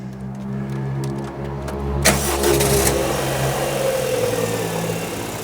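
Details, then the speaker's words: 2000 Rover 75 Club, 1.8 K-Series, after head gasket repair and valve lapping; camera under the car. Quiet, smooth, even idle with no top-end tapping, where it was tappety before; runs normally. "It's quiet, isn't it? Nice and quiet. Better than it was."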